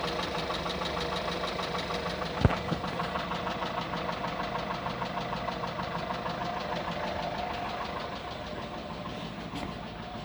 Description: I have recently changed the whole set of the timing chain.. and still get this rattling sound on cold mornings.. the sound goes away after oil gets warmed up.